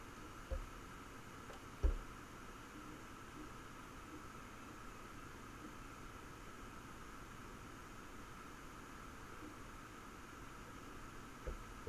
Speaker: likewise noise as you can probably hear in a second you can hear the fans but it's the occasional tick and were and hmer those drives that stands out but only marginally